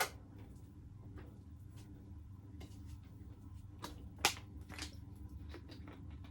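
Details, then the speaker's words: Early-1970s Wing TAT/Martec 48-inch ceiling fan, rusty, dusty and unbalanced, at medium-high speed: steady low motor hum with scattered ticks and clicks from noisy worn bearings. Bearing noise with motor hum. "it has bearing noise it has motor hum but i actually really like that it gives a lot of character and a lot of history"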